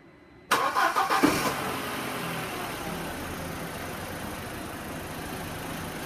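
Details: 2004 Audi A4 1.8 turbo, after cam chain tensioner replacement and mass airflow sensor replacement for multiple misfires and lean code: short starter whirr, quick catch, then smooth, even idle with no stumble or miss; normal idle.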